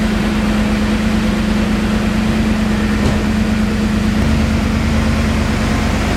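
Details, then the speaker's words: BMW E39 M5 V8 after rebuild and cleanup, cold start recorded on the camera's built-in microphone: steady, smooth idle with even hum and fan whir, no tapping or rattles; healthy. "So we're going to go ahead and do a cold start now, post cleanup."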